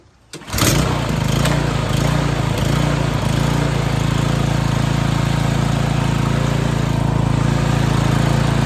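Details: 2021 Toro Timemaster mower engine starts and settles into a smooth, even run with no clicking or rattle, after the recoil rattling fix; normal running.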